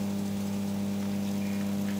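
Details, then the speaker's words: Original bathroom/toilet exhaust fan after cleaning and regreasing the dry motor: small motor hums at a steady, even pitch with no rattle or scraping, running smoothly. "get this little safety tape off waa that sounds much better doesn't rattle"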